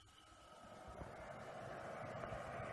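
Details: 450 W PC power supply fan after the noisy fan was repaired and the out-of-spec capacitors replaced. It spins up smoothly to a soft, steady whir with no scraping or rattle, running normally.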